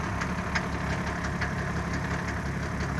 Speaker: oh there it was oh oh yep keeps misfiring every time you see that little extra puff that's a misfire